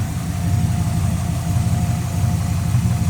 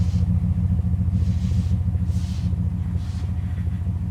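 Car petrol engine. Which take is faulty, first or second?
second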